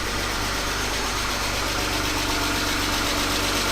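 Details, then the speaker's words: BMW E36 328i 2.8 L six-cylinder, abandoned 7 years, oil likely unchanged that long, first restart: steady idle with light quick tapping about four ticks a second, runs but not smooth; cause unclear. "It doesn't sound amazing. It's very, but then I've never heard one of these engines before. It just to me sounds a little bit tappy and a little"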